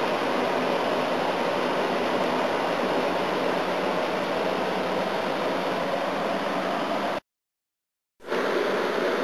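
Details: A/C unit on high fan, leaves inside, coils damaged and jammed into the case: even rushing airflow with a steady running hum, no rattles or grinding; sounds healthy and is cooling.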